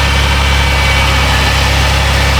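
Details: 2010 Dodge Grand Caravan 3.3 that had been bogging and stalling, now at a smooth steady idle after a suspected bad computer was replaced with a junkyard unit. It reaches closed loop with O2 sensors switching.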